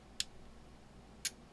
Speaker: tap the band switch and after a short delay the k2 will switch to the next band at the same time you will hear a relay clicking of a relay